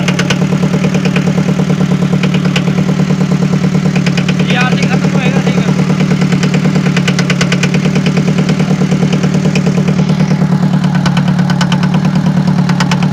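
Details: Forklift diesel engine at idle during a workshop inspection: steady idle with an even, hard pulsing beat of about three per second over a deep drone; something sounds off, cause unclear.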